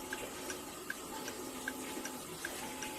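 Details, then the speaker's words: Fusee pub clock movement after rebushing a pivot, cleaning, oiling and reassembly, just wound with pendulum refitted: crisp, even ticks roughly every 0.4 s over faint water-like background hiss; clock probably in beat. "All right. So, that's a probably a beat there."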